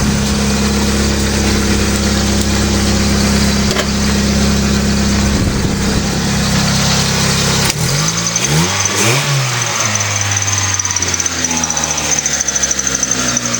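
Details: Mitsubishi Eclipse petrol engine after alternator bracket fix, belt lined up with the harmonic balancer, warming up before a light rev: steady even idle for eight seconds, then pitch dips and shifts, no clear belt squeal; normal idle.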